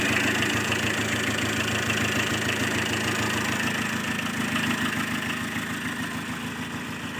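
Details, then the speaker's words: Diesel pickup idling steadily after servicing injector no. 4 (flagged by engine scan), intercooler cleaned; compression reportedly leaking, hard starting. Even clatter, no stumble or surging: the former unstable, rough running is gone, now normal. "Masalah putaran mesin yang tidak stabil sudah hilang; Sekarang sudah normal dan tidak lagi berjalan kasar seperti dulu."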